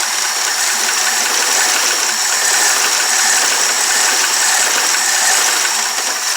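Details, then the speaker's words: 1994 Chevy truck, 6.5L diesel swapped to a 7.4L gas V8: rough, rattly idle with irregular ticking. Distributor timing was only roughly corrected, valves are still loose, and oil on the exhaust is smoking. "but you know it's idling on it so notice it's a pretty rough still but so I'm not gonna run it for too long"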